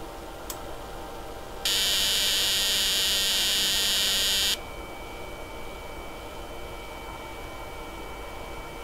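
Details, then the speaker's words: Cheap HAM radio transceiver kit receiving a 7.023 MHz carrier from a generator on a length of wire: loud steady beat tone over hiss for about three seconds; receiver working. "if we modify this we should be able to see this p move up and down and we can hear the tone change as the difference between the carrier and the local oscillator alters"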